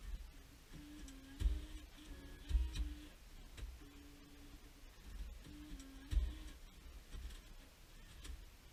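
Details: 2006 Jeep Liberty after BCM replacement with the battery reconnected and the key on. Irregular clicks and short motor whirs come from the stock CD changer behind the dash as it initialises. This is normal behaviour.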